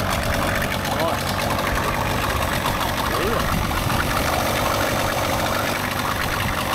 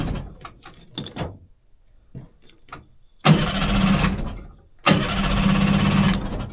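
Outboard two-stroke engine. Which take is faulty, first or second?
second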